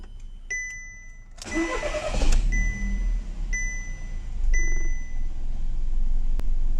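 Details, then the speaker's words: 2014 SEAT previously diagnosed crank-no-start, fuel tank full: chimes, then a quick crank and catch settling into a steady, even, stable idle with no misses or stumbles; starts and runs normally. "طبيعي، السيارة اشتغلت طبيعي بدون اي شيء. اعطيها زي ما احنا شايفين كل اشي ستيبل، السيارة شغالة طبيعي ما في اي مشاكل."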